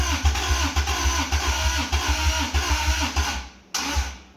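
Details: 1985 Toyota MR2, 4A-GE 16v, long-stored, jumper-wire start: rapid, uneven cranking chug with a few weak catches that die away. Never runs on its own; owner suspects timing is out, heavy smoke afterward.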